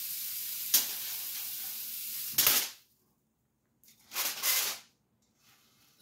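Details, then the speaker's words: Ion lifter 2.4 run on a six-stage multiplier output with miniaturized flyback supply: the eighth stage shows corona discharge, giving loud hissing bursts of a second or two with silence between; dielectric grease applied to quiet it. "the eighth stage was actually having some Corona discharge so that's why you actually hear the hissing so I actually put some Dielectric grease on it"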